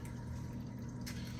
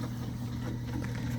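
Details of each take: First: Aquarium sump drain flowing quietly after the drain valve knob was gently tightened: soft, steady low water rush with a faint trickle, noise nearly gone; the fresh-water top-off begins filling. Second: Home aquarium sump running noisily: a steady low hum with uneven rushing over it because the drain valve is open too far; fixed by turning the knob gently a little tighter, which nearly silences it.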